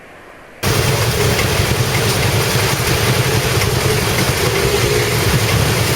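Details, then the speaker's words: Honda PCX 160 scooter at idle and off-throttle: uneven, rattly low-end "tak tak tak" tapping, loud enough to hear through a full-face helmet, smooth again under throttle; rider uses regular Pertamax, suspected knock from too-low octane fuel, not confirmed. "Itu biasanya ciri motor Honda yang pakai bensin oktannya terlalu rendah."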